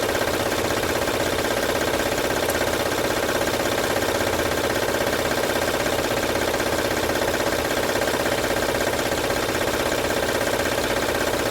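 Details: 2006 Honda Odyssey at idle, no stored codes: loud, regular rattle near 160 per minute over a steady idle; cause still being traced, timing belt suspected. Engine rattle.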